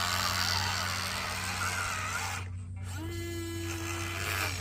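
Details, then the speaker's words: Huina 1583 RC front-end loader after fixing a loose pinion in the front drive: front wheels work again, but the small electric drive whirs with a loud, buzzy gear noise over a steady motor hum; performance seems unaffected. "he we got we got a loud gear noise going on but they are working and that's the important"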